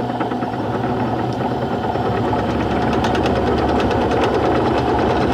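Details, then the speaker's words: Mini milling machine cutting a T-nut from hard-to-machine iron with a cobalt cutter and oil, very small cuts of under 0.004 inch; uneven rapid chatter about three hits a second over spindle hum in both conventional and climb milling. Cutter chatter. "but I'm having a I'm having a pretty rough time with this uh whether I'm a conventional or climbing"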